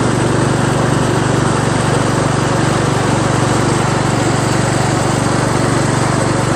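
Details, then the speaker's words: Craftsman LT1000 lawn tractor after new drive belt install (owner unsure it's the right belt), first test drive around the block: steady even drone with firm low beat, a little noisy, no knocks or misses; engine running normally. "Seems to drive fine. little noisy, but and the steering's kind of stiff. But made it back okay. Engine seems to run just fine."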